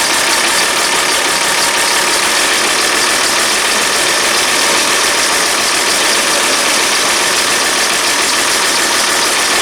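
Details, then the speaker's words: Diesel bus engine idling on a cold day, about 4°C, after priming and an Easy Start-assisted start; loud, rattly, uneven idle. A blown head gasket is suspected, not confirmed. "the Downs at the moment is we think we've got a head gasket that's blown something that we can't remove"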